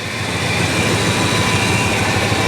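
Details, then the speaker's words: 1966 Ford Country Sedan, just restarted after about 20 years sitting: loud, coarse roar with an uneven, lumpy undertone. The engine runs but is shaking a lot and rough, and the power steering pump doesn't sound good. "it's shaking quite a bit in fact it's shaking a lot of it but it is running"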